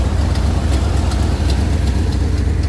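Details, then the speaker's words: 1992-94 Chevy K5 Blazer restarted after adding antifreeze, coolant out tailpipe: deep uneven idle, steady low rumble with faint regular ticks; owner believes blown head gasket, possibly intake manifold gasket; plugs not yet pulled, unconfirmed. "I believe it has the blowed head gasket, but I know on the Chevrolet, somebody's told me, ooh, they're getting bad now."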